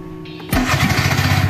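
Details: New 2023 Bajaj Maxima Z auto-rickshaw, started like a car: short starter spin, engine catches at once and settles into a steady, even putter; clean healthy start.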